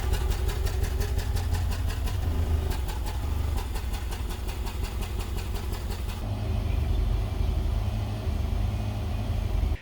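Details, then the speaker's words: 2011 Nissan Altima, 221,000 miles, four-cylinder idling lumpily with an uneven stumbling pulse; cylinder 3 misfire (P0303) traced to a cracked valve cover letting oil around the spark plug, fixed with valve cover, plug and coil replacement. "Uh the other day I was driving it uh and it started shaking. Engine started missing."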